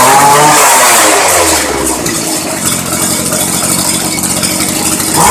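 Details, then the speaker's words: Craftsman Bushwacker 25cc hedge trimmer (model 358.795792) on cold start, after a new fuel line, new air filter, 40:1 fuel, carburetor adjustment and a clean spark plug. It buzzes steadily at idle, then revs cleanly and drops back without stumbling; it is running healthy. "so with a fuel line air filter and a can of 40 to 1 fuel we've got around 20 bucks in this so thanks for joining me for fixing a Craftsman 19-inch 25 cc Bushwacker hedge trimmer"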